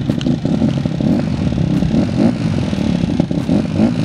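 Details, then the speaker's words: Honda CRF150R single-cylinder, first run after a head rebuild for a broken valve, on choke and held at heavy throttle: loud, rough running with loose metallic clatter over the exhaust. Clanky top end; it only runs with lots of throttle; cause unknown. "Sounds pretty clanky. And it only runs when you put the throttle like crazy."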